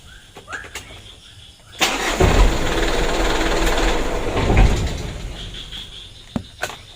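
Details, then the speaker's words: Mitsubishi Canter diesel after its injection pump plunger was replaced and the fuel primed, cranking briefly, catching quickly and settling into a steady, even clatter; it starts easily, with idle adjustment to follow. Normal start. "untuk hidupnya sama-sama kita lihat dan dengar ya itu lumayan mudah ya"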